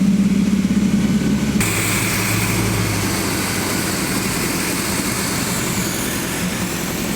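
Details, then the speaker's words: Freshly rebuilt V8 in a 1979 GMC C35 during the 30-minute flat-tappet cam break-in at raised RPM: an even, smooth rumble with no clicks or knocks. Healthy. "No clicking, no knocking. Sounds really, really smooth."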